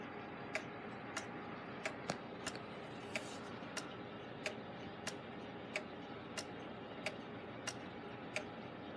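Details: Gilbert long-drop octagon clock back on the wall after rebuild and beat adjustment, springs not fully wound: crisp, evenly spaced ticks with faint tocks in a quiet room. Movement in beat and running normally; only slight phasing and overswing remain.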